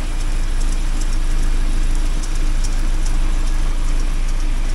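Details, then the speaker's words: 1979 Porsche 924 with Type Z 5-speed, new motor mounts, fuel pressure adjusted, warming up with spilled fluid smoking off exhaust: deep, even idle rumble holding steady, no knocks or misses; idling normally. "But look at that, that's uh the motor is happy to be sitting right."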